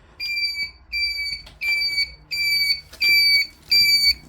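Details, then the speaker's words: Honda GL650 Silverwing indicator flasher relay making a shrill singing whistle that pulses on and off with the flashes, about 87 per minute; unit sounds like it's dying, and a replacement relay is silent, barely even clicking. "I'm not sure it should be making that noise. There it is. I've just bought another one. So, let's see if that one's any better. Sounds like it's dying."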